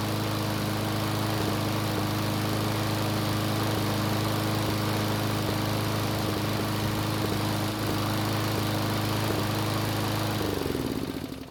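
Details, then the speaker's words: Roughly 20-year-old Craftsman mower after retightening loose head bolts: steady buzz with occasional uneven beats, then dies away, still sputtering; the bolts only caused a small oil leak, owner suspects the carburetor; engine sputtering. "so unfortunately it's still sputtering so the loose head bolts didn't have any effect on the way the engine was running"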